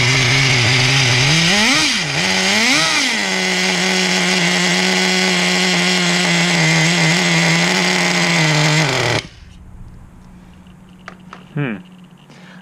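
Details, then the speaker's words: 2006 Traxxas Nitro 4-Tec 3.3 (model 4809), TRX 3.3 engine on first starts after rebuild: high buzz rises and falls on blips, settles, then cuts out; bogs and dies, owner suspects too much fuel or idle set too low. "wonder if there's too much fuel and that's causing it to bog down. 'Cause it's not running too much."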